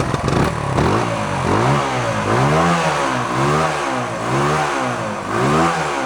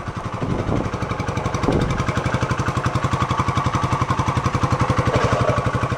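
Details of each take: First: 1972 Honda SL125 warming up with the airbox off, rust blowing from the long-unused exhaust: small single revs with a loud, raspy, open exhaust that gets harsher with throttle, from a hole in the bottom of the muffler; valves also sound tappy, set loose. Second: 1972 Honda SL125 single-cylinder idling with the airbox off, so intake air is audible: even, steady putter at about four beats a second, no knocks or misses; nice and quiet stock, healthy idle.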